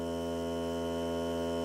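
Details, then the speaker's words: New Hart cordless battery air compressor on a full battery, break-in run of 30 minutes or until the battery dies (lasted about 45 minutes): even, unbroken electric hum, steady pitch, no knocks or rattles, quiet enough to talk over; normal running. "So here we go. See how loud it is. Not bad. You can hear me talking."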